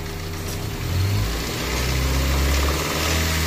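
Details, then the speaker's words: Car in shop; owner worried about engine noise; low steady engine note with soft even light ticking and gentle rev rise, mechanic says the quiet sound is okay; normal. "Okay lang yung ganyang tunog, mahina."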